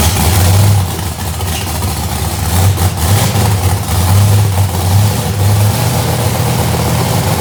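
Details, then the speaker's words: Procharged 2000hp drag-race Mustang with freshened heads, back running: loud, deep lumpy-cam V8 rumble with light throttle blips, firing clean without misses; healthy. "That thing is loud, ain't it? Burning my nostrils."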